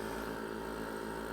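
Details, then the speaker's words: Solar pond aerator air pump after replacing pumps whose motor brushes had failed: smooth, even humming buzz with steady pitch and no rattle or rubbing. Normal running. "that sounds better it was in fact bad brushes on the motor so a quick change out and we should be good to go for a couple more years"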